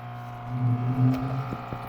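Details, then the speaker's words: Electrolux LAC11 washing machine, customer complaint of noise, water inlet valve energized via MAT2 self-test monitor: steady low buzz with loud humming drone that swells and eases; noisy water inlet valve. "Mesma coisa, ele ligou o mate e de fato estava fazendo bastante barulho na válvula. É porque eu baixei o som ambiente, ó, vou aumentar. A válvula de fato estava bem barulhenta."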